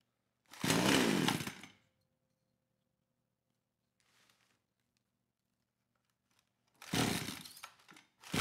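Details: Kraftworld KW-5800 58cc Chinese chainsaw after repairs restored a fuel pulse, carburetor fitted, cover off, throttle locked on choke: two short bursts of high-pitched revving with quiet gaps, picking up cleanly; longest it has ever run.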